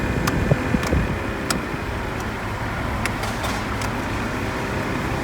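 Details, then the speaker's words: Mercedes A-Class W169 / B-Class W245 heater blower after fitting a new blower motor (old motor made metal-to-metal squeaky noise and kept blowing resistors): steady airy whoosh, a few light clicks, no squeak or scrape, working in all settings; normal blower. "working well. I can hear the blower. it's working in all settings."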